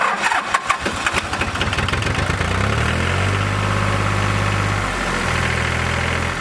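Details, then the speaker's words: John Deere 950 tractor diesel (Yanmar-built), which missed after warming up, after a badly plugged fuel filter was changed and the fuel bled. Uneven cranking, then a smooth, low, steady idle with no misses: normal idle. "sounds good i'll have to have to work johnny a little bit to see if he's running a lot better i suspect that he's going to be running a whole lot better now that he's getting fuel delivery"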